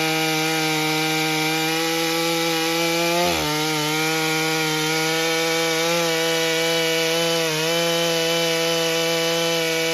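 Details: Stihl MS661c, fresh forged Wiseco piston build, first tank at 40:1, 32-inch bar cutting soggy poplar: steady high-pitched note holding speed, brief dips as wet chips bog it, slight four-stroking on the first cut then clean.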